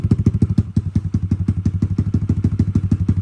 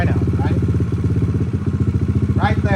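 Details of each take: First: Kawasaki KLX140 stock carb with Big Gun exhaust and airbox mod, just started cold: slow thumping single, about three beats a second, slightly uneven pulses, chugging a little; suspected slightly rich, not confirmed. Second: Kawasaki KLX140, stock carb rejetted with Big Gun exhaust and airbox mod, idle set slightly high while adjusting air-fuel screw; quick even single-cylinder thump, no hunting or misses; mixture well set, normal idle.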